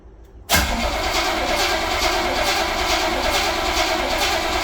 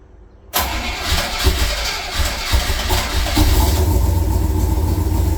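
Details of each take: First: 1966 Chevrolet Corvette Stingray carbureted, cold start in January at about 11-18°F after months parked: long dry crank with no firing, fuel drained from gravity-fed carburetor, needs accelerator pumping before it catches. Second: 1966 Chevrolet Corvette Stingray cold start in January at about 11–18°F after 10 dry and 10 cranking throttle pumps; catches after short crank, settles into high, slightly uneven deep-rumbling choke idle. Cold start fast idle.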